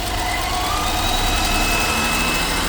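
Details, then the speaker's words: 2015 BMW X5 F15 N55 with P0171 lean and misfire codes, idling: thin high whistle that goes away when the oil cap is removed and returns when refitted; torn PCV valve diaphragm in the valve cover. "It's coming from the PCV valve, and you can do a quick test. If you try to remove the cup, if there's vacuum in the system, you're gonna hear the difference. The noise goes away."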